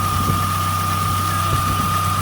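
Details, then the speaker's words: Chevy Tracker after a new idler pulley bearing was fitted: the old squeak is gone and the engine idles smooth and even, with only a faint high squeak that the owner suspects comes from the AC compressor. Normal idle. "I think it's coming now, this little squeak from the air conditioning compressor. But right now, she's not squeaking."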